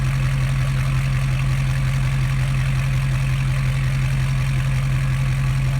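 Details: 2012 Ford F550 6.7L Powerstroke diesel idling with exhaust open just past the headers, no further pipe, resonator or muffler, mic 16 inches from the pipe end at a slight angle: deep booming steady throb, nothing muffling it.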